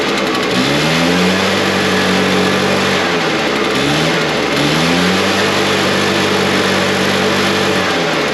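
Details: Backpack blower, two-stroke, started with choke off after the old fuel was drained and replaced with new gas; fires and holds a strong steady buzz, rising and settling twice with throttle, no misses, showing the old fuel was bad. Normal running.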